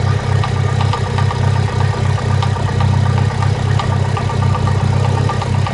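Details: Mitsubishi Lancer Evolution IX at idle with an aftermarket HKS exhaust camshaft: lumpy, uneven idle with a steady loping pulse about four per second, sounds like a cylinder 2 misfire and throws the check engine light, but it's the cam.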